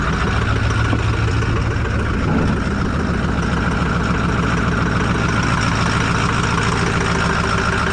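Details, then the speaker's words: 2008 Ford F250 6.4 Powerstroke diesel with 247k miles idling with a heavy, uneven slapping clatter, louder with the oil cap off; the owner suspects cracked pistons and is ordering a full set. Not confirmed. "too bad but we you take the oil cap off that slapping noise so what we're going to do is I'm going to go ahead and order a full set of Pistons CU I remember the these Pistons are all prone to cracking already from the factory"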